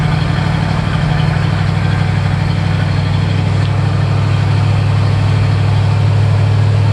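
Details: 1969 Firebird, stock 350 Pontiac V8 with manifolds and new 2.5" stainless true dual exhaust and stainless mufflers: deep steady idle burble, even pulses, no ticking, knocking or stumble; healthy.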